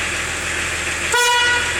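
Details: Old diesel 4x4 with high-low ratio, nearly 30 years old: one short, loud, steady two-tone honk about half a second long over a quiet idle. Normal horn.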